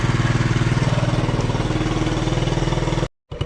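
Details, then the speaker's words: 1967 Honda CT-90, about 2,700 miles, after fixing an oil leak, warmed up about 5 minutes: quick, even putt-putt idle, no misses or knocks; normal warm idle. "Okay, it's been warming up for about 5 minutes now."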